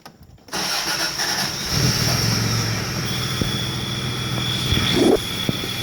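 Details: 1989 Toyota 4Runner idling with a thin, steady high chirp that stops when the clutch pedal is pushed in; cause unconfirmed.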